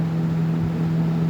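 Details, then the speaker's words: Lasko 3723 box fan on high speed, drawing about 180 W with power factor 0.76, blades possibly warped: steady, even hum with a constant low tone and soft air rush, no ticks or rubbing; high speed healthy. "The high speed's great."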